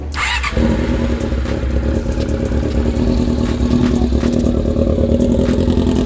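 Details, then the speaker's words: Honda CB-1 400 motorcycle engine after cam work and gasket replaced with a thick gasket plus sealant to stop an oil leak: steady even idle, smooth low hum, no top-end ticking; engine quiet, normal idle. "Tahimik na mga makina. Tulo. Alright. Tahimik mga kana."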